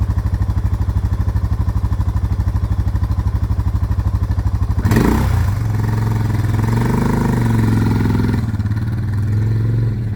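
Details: Suzuki DR650 big single after winter, fuse and battery replaced, just started: thumps along at an even idle, then revs up cleanly and holds steady; engine sounds healthy.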